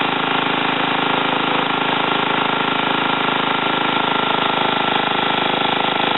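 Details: Ariens TA20A Trans-a-matic tiller after engine rebuild and plate clutch repair, carburetor untouched: steady rapid single-cylinder putter at a fairly even pace under light tilling load in wooded ground; normal running.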